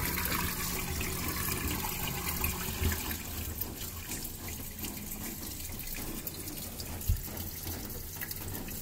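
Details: LG washing machine during the drain phase: low steady pump hum under gurgling, rushing water, even and without knocks or grinding; drain pump emptying the drum normally.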